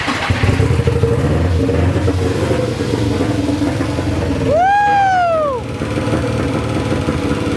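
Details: Nissan SR20 swapped into a 240, first start after installation: the idle stumbles with irregular missing beats and an uneven lope, plus a brief whistle. Definite misfire; the cause is unconfirmed, possibly bad gas, since the tank holds the original old fuel.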